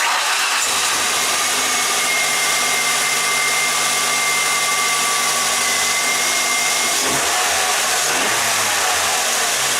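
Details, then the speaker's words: 2003 Ford Ranger 2.3 four-cylinder after replacing cracked ignition coil, plug wires and iridium spark plugs: idles smoothly and evenly with no stumble or skipped beats, misfire gone; normal idle. "So we got rid of that dead mist, so that's good."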